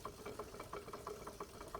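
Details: Restored Wilesco D32 twin-cylinder model steam engine with new control panel: light, crisp exhaust beats about six per second, even with no rattle or knock; normal smooth running.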